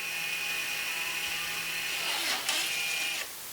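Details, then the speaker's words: Electronic parking brake actuator closing during rear brake service, selected via scan tool service procedure "maintenance closed": thin high motor whir runs steadily about three seconds then stops cleanly; normal operation. "you hit maintenance closed and again as you can hear you can hear the actuator closing in"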